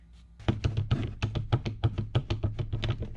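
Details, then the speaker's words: BMW E30 with turbo M52 (515 whp): worn CV axle rocked by hand gives quick dull clunks, about three a second, from old tired axles. The replacement axle makes no noise with the same movement. "so this is exactly what happened these are just old tired axles"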